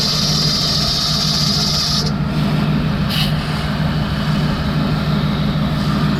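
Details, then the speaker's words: Jeep engine idling after cleaning belt conditioner off the belt with concentrated Simple Green; earlier squeak gone, slight squeak still possible on startup; steady low even hum, no belt squeal, hiss fades early; owner notes slight fan clutch play. "It's now clean. The belt squeaking is gone."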